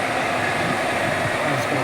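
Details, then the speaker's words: Water pump motor that only hummed, after replacing the failed capacitor with a 2 µF capacitor and switching on: steady even whir with no stalling hum, knocks or rattles; motor now running normally. "লাগিয়ে দেওয়ার পরে কিন্তু দেখতে পাচ্ছেন আমি যে পাওয়ার switch রয়েছে কিন্তু সুইচটি চালু করে দিলাম। মোটর রান করেছে।"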